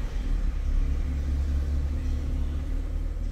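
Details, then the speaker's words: 2010 Ford Fiesta 1.6 petrol with an intermittent erratic idle when cold, now warm after revving: a deep steady rumble with no hunting or dips, idle stable and good. "now look what's happening when it's warm everything is fantastic stable our idle is good"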